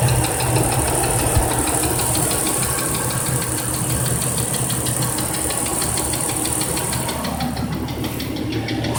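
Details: 1997 Cherokee petrol engine idling with a steady, deep knock that taps along with engine rotation; suspected rod knock, not confirmed.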